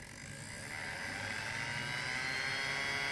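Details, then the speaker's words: Dapol B800 DCC motorized track cleaning wagon, Hoover (vacuum) attachment switched on and ramped up slowly: small electric motor whirs up into a high, even hum with no rattle or grinding; normal motor spin-up. "ramping it up nice and slow that's the Hoover attachment so we're not too bad"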